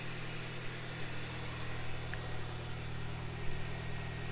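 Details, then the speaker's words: Home-built turbo Ford Ka, first test start after manifold, studs, oil return and boost pipes refitted, cold before warm-up: steady even petrol idle, turbo spooling, no misfire and exhaust leak no longer heard. "spooling all right. Doesn't seem to be misfiring."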